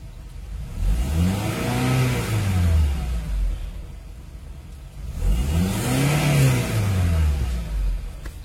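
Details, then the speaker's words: Honda CR-V gen 2 automatic, 2.4L K24 on LPG, rev test limited to 4000 rpm: two clean blips climbing smoothly to mid revs and back to idle, no misses or rattles; healthy. "Tes RPM ya, Lur, tak batasi di 4000 aja biar tidak terlalu keras mengganggu tetangga, Lur."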